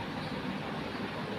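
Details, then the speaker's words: Exhaust (adjust) fan with a failed capacitor, opened for repair: it won't start unless pushed by hand and then turns very slowly with a soft, low whoosh and faint hum; it had also been making noise. "और इसकी speed भी बहुत ही कम है। इसमें पता नहीं phone में ये चीजें आ रही है या नहीं आ रही है। बाकी इसको पहले तो फर्स्ट में धक्का देना पड़ रहा है।"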